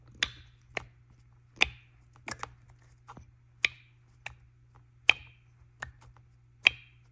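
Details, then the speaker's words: BMW N54 single-turbo 335i with camshaft and VANOS faults: worn VANOS solenoid actuated on the bench gives sharp metallic pings, like metal hitting, unlike the quiet clean plunger sound of the good ones. "very similar you can kind of hear it pinging and here are the good ones sounds like a plunger like a suction plunger these sound like some like metal hitting"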